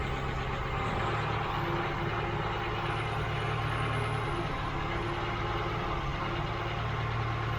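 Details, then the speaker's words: Mk3 Ford Cortina petrol engine just fitted with Accuspark electronic ignition, ballast bypassed to test: low idle hum with a slightly uneven note, speed wandering rather than holding; suspected carburettor/air, mixture then adjusted. "No, you're okay. That's fine. It's just it's wandering."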